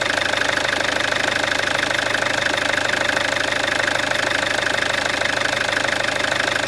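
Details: Peugeot 407 2.0 HDI diesel, 400,000 km, after replacing the full timing set: even, steady diesel clatter at idle with a fast regular beat, no knocks or misses; normal idle.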